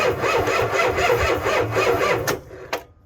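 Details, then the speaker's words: Ford F350 7.3 IDI diesel cranked on one small battery, other battery missing: even rhythmic cranking about two beats a second for two seconds, starter turns engine over normally. "Well, starter works. That's good news."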